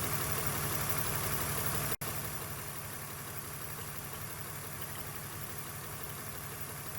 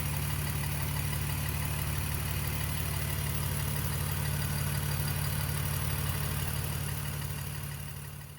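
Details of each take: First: BMW E46 straight-six at warm idle after replacing the failed upper radiator hose and refilling coolant: even, regular beat holding steady with no knock, hiss or gurgle; coolant temperature steady, head gasket damage not yet ruled out. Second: BMW E46 idling after repairing a failed upper radiator hose that dumped coolant; the oil looks clean. Smooth idle with a light, steady tick about three times a second from a noisy hydraulic lifter.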